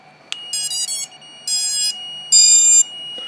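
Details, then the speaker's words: Genius 215 quad with an F4 board and 4-in-1 30A ESC, power test on a 1300 4S battery: a click, then three bursts of high beeping near 3 kHz as the ESCs sing and the buzzer sounds normally, which should stop after flashing firmware and binding the receiver. "oh good it's beeping like it's supposed to you he I heard the esc's sing and you can hear that buzzer going off"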